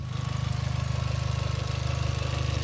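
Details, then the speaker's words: Mk4 VW Golf GTI 1.8T idling after a short run: steady idle with a quick, regular puffing tick under a deep throb, coming from underneath; suspected slight exhaust blow, still to be investigated. "But um you can hear it's it's strange. You can hear it coming from just underneath. Just sounds like a slight blow that we'll investigate."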